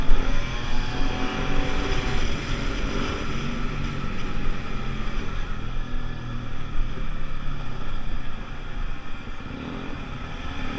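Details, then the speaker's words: Pulse Force 50cc two-stroke road test after fuel-starvation fix, GoPro on bike, 14-stone rider, hitting 37 mph and still picking up. Deep steady note pulling cleanly, no bogging or stumbling; normal acceleration. "I don't know if the camera saw it, it hit 37 there, but I promise you it was still picking up."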